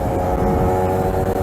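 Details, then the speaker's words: Kawasaki RR150 two-stroke, pilot jet changed from stock #45 to #22.5: raspy, thin buzz at steady revs with a rough, uneven edge and no full note, sounding short of fuel; lean running, pilot jet too small. "Dia jadi sebenarnya guna bunyi pun kita dah boleh tahu sebenarnya macam bunyi tak cukup minyak. Kalau orang lama dia tahu lah."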